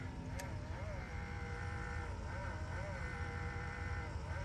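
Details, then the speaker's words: Tesla Model 3, rebuilt salvage car at 1,500 miles with new radiator: steady electric whir with wavering tone over a low hum, pump seemingly trying to push coolant down but radiator won't fill; stops only when main battery is disconnected. "I don't know if you can hear it like there's like a noise coming from here and it look sounds like it's trying to push the coolant downward but it's just not doing"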